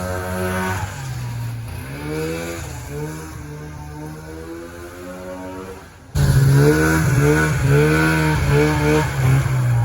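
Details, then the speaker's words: 1994 Polaris Indy 440 two-stroke snowmobile, rear propped up, airbox removed: howl climbs cleanly and pulls hard onto the pipe, earlier bogging around 4500 rpm now gone; healthy revving. "I am so stoked right now you have no idea how happy I am that this thing is finally running good it's usable now it's coming onto the pipe"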